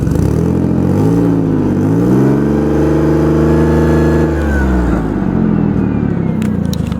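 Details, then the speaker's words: 2005 Ford Five Hundred, little driven since 2015, electronic throttle, also has an exhaust leak: revs up and falls back with slight unevenness; misfire worse at idle than under throttle; owner suspects a fuel injector or coil pack. "Funny, it seems to misfire more. It seems to miss more at idle than it does when you're giving it gas."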